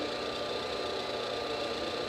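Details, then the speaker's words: 1959 Axeman Anderson 130M coal stoker boiler on a heat call, motors freshly lubed and gearbox oil changed: combustion fan alone runs because stack temperature is still under the 80 °C set point that inhibits ashing; smooth, even hum, no knocks or wobble. Normal. "fans just running now because this has not reached 80 degrees centigrade yet this is the stack temperature and it inhibits ashing until it reaches the 80 degree c set point"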